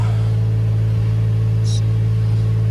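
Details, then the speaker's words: 2007 Isuzu Ascender that barely ran with multiple codes (O2 heater, MAF, throttle actuator, ignition circuit), after repair and codes cleared: steady, even low-hum idle with no stumble or miss; running much better. "Oh man. She's running a heck of a lot better, man. This thing would barely run before."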